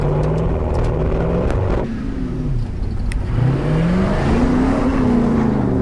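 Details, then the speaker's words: Ford XF Falcon ute with 351C V8, 4-speed Top Loader and 9-inch diff, on a 12 V ignition bypass, driven: pulls smoothly through the revs with no misses; runs well, with alternator and suspected timing, coil or carby gremlins remaining. "well there you go it does run does run pretty nice actually it sounds bloody mint"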